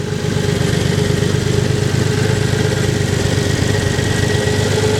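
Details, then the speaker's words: Nissan 300ZX, 190,000 miles, after hydrolocking two cylinders: started after sitting two days with fresh oil and new spark plugs, still cold; uneven loping rough idle, owner suspects moisture still burning off; no rod knock, revs a little high. "The idle is a little bit iffy, but granted it still has moisture in there, it's burning off."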